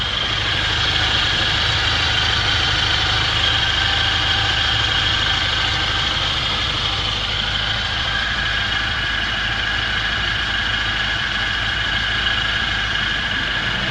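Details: Ford Transit 2.0 OHC running on gas after engine rebuild, Ford Sierra pistons raising compression to about 10–10.5: steady even idle, smooth unbroken hum, no knocks or misses; ticking over cleanly.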